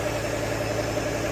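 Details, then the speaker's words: 1996 Mustang GT with 4.6 4V Cobra engine swap: steady V8 idle with light fast metallic chatter from the engine front; owner suspects the hydraulic timing chain tensioners; exhaust leak also noted. "A little bit of rattling. Got a little bit of rattle, but it's, you know, hydraulic. Yeah, hydraulic timing chain tensioners."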